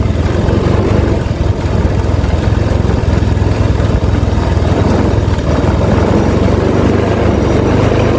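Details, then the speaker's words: Honda Vario Techno 125 scooter, still cold after about a minute, with an aftermarket ECU tried on economy and rich settings: engine chugs low and rough, throttle blips barely lift revs, it bogs and won't rev. "Nah ini kayak gini, digas nggak mau. Wah, yang bener aja, rugi dong."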